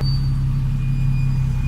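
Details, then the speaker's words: Nissan 370Z driving on the road: constant deep droning rumble under the road noise, no clear rhythm; the car shakes more at higher speed, and the owner blames the wheel bearings. "Yep. That is definitely my bushings, or my bearings. And when I go faster, they start shaking the entire car."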